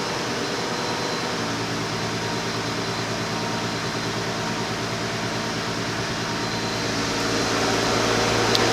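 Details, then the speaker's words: 2008 Chrysler 300 2.7 V6, just restarted after misfire repair (P0300/P0302/P0303 codes, rough idle, flashing check engine light) with fuel pump primed; cold engine idling slightly high, steady and even with no misses, relearning idle. "All right, nice starting its step down procedure, cold engine, idling high, cooling down."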